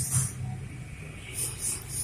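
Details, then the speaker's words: Motorcycle electric starter not working: starter relay gives sharp dry tek-tek clicks but the starter motor does not crank, because dirt on the relay contacts stops them connecting. "Nah seperti itu suaranya. Oke, nah jadi hanya bunyi seperti itu. Tapi dia tidak terhubung, itu karena ada kotoran pertemuan, di pertemuannya ada kotoran."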